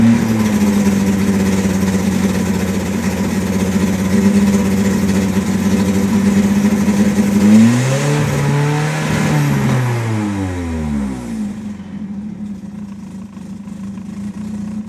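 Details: 1993 Nissan 240SX S13 SR20DET turbo four on jacks, Godspeed manifold and Apexi 3" exhaust: revs up and drops back, then idles unevenly with stumbles and pops, missing at steady rpm; exhaust leak suspected, owner later blamed slight oil overfill.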